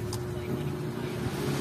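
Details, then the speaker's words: Two-day-old Astron mini desk electric fan after alignment repair, cover on: steady low motor hum and soft air rush with no wobble or rattle; the earlier strong vibration is gone, smooth normal running. "guys Oh wala na wala ng vibration kahit paikutin natin yan dapat walang vibration Ayan hangin lang maririnig niyo yan"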